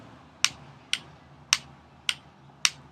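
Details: Ruger 10/22 Tactical with an unfixed aftermarket magazine: sharp dry clicks about twice a second as the magazine rocks back and forth, not latching fully in the receiver.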